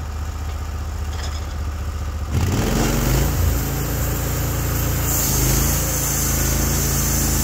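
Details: Norwood HD36v2 bandsaw mill, day two testing new roller guides (ceramics replaced), slabbing big black oak through bark, about 24 inches wide: engine settles into steady pull as blade enters cut, holds speed, no bogging; effortless flat cut, normal load.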